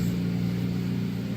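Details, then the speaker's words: 2010 Honda Civic LX Coupe R18 idling after exhaust gap patched with beer can: steady even low hum, no puffing or chuffing, much quieter idle than before; a tiny unfound gap remains. "it's ten times better than what it sounded like but now the experiment and see how long it's gonna last the idols a lot quieter now"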